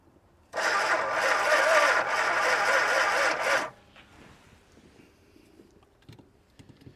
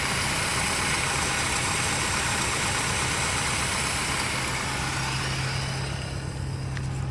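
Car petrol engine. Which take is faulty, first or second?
first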